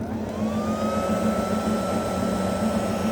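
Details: 12V 2000W-rated (200W actual) power inverter run off an idling Bajaj RE at 13.5V to keep the battery charging; steady engine rumble with a thin whine that climbs then holds as the inverter switches on; green lights, battery good, working normally.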